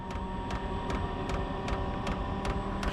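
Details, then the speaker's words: Chinese diesel heater in a shed, still cold after firing off with ether assist, set to level 10–11 and spooling up: sharp even fuel pump ticks about two and a half per second over soft fan hum. "come on that fuel pump's just giving her"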